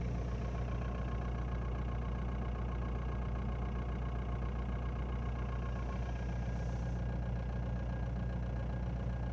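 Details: Ford Mondeo 2.0 TDDI diesel, cold: a faint steady whine at idle that does not change with rpm and goes away once the engine warms up.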